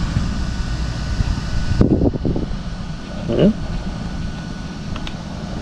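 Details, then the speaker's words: Traxxas Mini XRT RC truck with an added Traxxas fan (part 3458) and heat sink (part 3456), after a 5-minute run; steady even whir with a faint high note, no rattle: normal cooling fan running, highest temperature read 131 degrees. "All right, hear that fan working in there."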